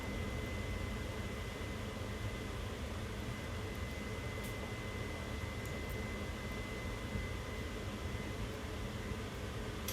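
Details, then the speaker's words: 2022 2850KRL Alta travel trailer rooftop air conditioner switched back to cool mode: even fan rush with faint steady high tone, no knocks or rattles; normal air conditioner running. "i'm gonna try to get this back to the mode for my air conditioner so that i can be more comfortable okay so here in the future you will hear that come on"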